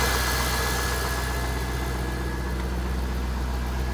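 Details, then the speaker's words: 2003 Corvette C5 first start after sitting over five years, on old fuel; low steady V8 burble with faint whine, good fuel pressure, smooth quiet idle with no knocking, though warning lights are on. "Actually start it up. Look at that. She's alive. Up and runs. Got good fuel pressure, and it sounds good. Nice quiet engine."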